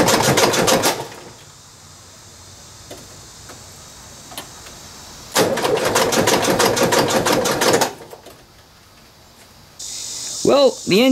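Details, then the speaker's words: 1977 VW Westfalia, fuel-injected air-cooled engine with electronic ignition, long unused: even chugging crank about three beats a second, seemingly with compression on all four cylinders, then only clicks and whirs as the battery goes dead. "cranks over and it sounds pretty good sounds like it's making compression on all four cylinders however the battery as you heard basically just went dead"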